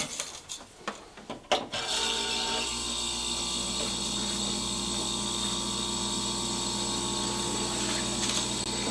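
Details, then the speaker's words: Jenn-Air fridge after replacing RC0410 combination start relay: a few clicks and handling, then steady low compressor hum with constant faint tone, drawing about 2 amps versus 9 before; running normally. "So it's running perfectly fine now."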